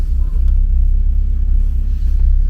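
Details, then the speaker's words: Renault R11 TXE (F2N engine) revived, warm idle holding, not overheating, fan cutting in: a deep, throbbing low rumble with uneven pulsing but no vibration; owner suspects a small exhaust leak, not confirmed. "J'arrive à faire tenir un ralenti. Bon, et peut-être une petite fuite d'échappement parce que le bruit est pas tip top, mais bon."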